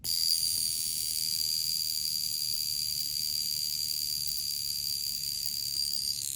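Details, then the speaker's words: Poljot Soviet/Russian mechanical alarm wristwatch, alarm wound by the top crown and set to six o'clock: a thin, steady high-pitched buzz for about six seconds, then it stops. The alarm hammer works properly and can be felt on the wrist. "and you can feel that you can feel that mechanism on your wrist so when the time comes you will definitely know this thing will wake you up in the morning there's no question about it"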